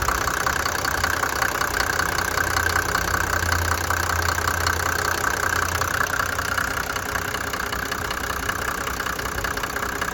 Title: 1991 MB 350SD no misfire - replaced broken cam